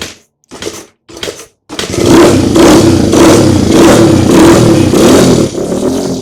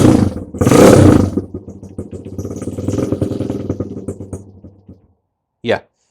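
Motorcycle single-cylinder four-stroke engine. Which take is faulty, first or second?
first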